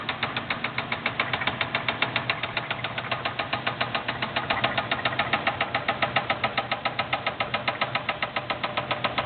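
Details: LT1 V8 in a Buick Roadmaster, put in gear: heavy sharp metallic knock about six times a second from a spun rod bearing with piston hitting the head, briefly fading in a dead zone.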